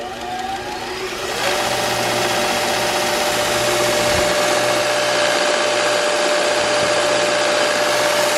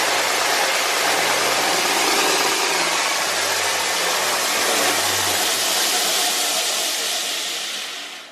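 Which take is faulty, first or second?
first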